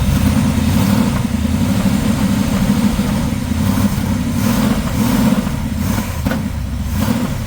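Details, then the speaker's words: 1979 Pontiac Trans Am after tune-up, just restarted following no-fire and possible flooding: steady, even low rumble with a smooth, regular beat and no knocks or misses; idling cleanly, sounds like a top. "Oh, she's running. How solid that first thing popped up there, too. That's Oh, that's perfect. Sounds like a top."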